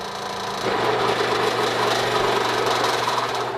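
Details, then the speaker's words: Three-phase AC motor fully loaded and single phasing: heavy strained hum and rattle as speed drops toward stall. "our single phase condition as you can tell the currents jumped all the way up to 17 M so it started right rising quite high"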